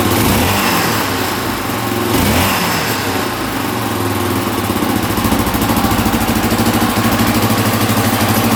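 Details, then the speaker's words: 1982 Honda XL500R single-cylinder, a little cold-blooded, throttle slightly adjusted: settles to even steady thump after a couple of blips, no knock or rattle; healthy. "there we go she's a little cold blooded but she's idling pretty good now had to adjust the throttle just a little bit right let's see oh yeah not too bad I don't hear any knocking sounds pretty good not too bad here"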